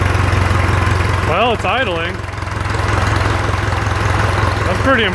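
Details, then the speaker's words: Around-1966/67 John Deere 400 tractor, first start in 20 years, low throttle, choke self-releasing: even steady low putter with a few brief squeaks over it; idling properly. "so you must be a low throttle now is it idling all the way 800"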